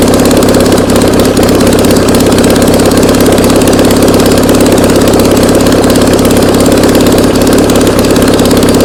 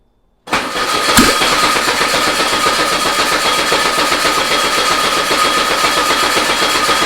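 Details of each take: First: Air-cooled VW Beetle flat-four sitting two years, on a start stand after refuelling by squirt bottle: steady even settled idle with no misses or knocks; engine running cleanly. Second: Old VW Beetle engine sat two years, on start stand with control box, about 70°F: catches suddenly and runs rough, uneven idle for a few seconds; not enough fuel squirted into carb.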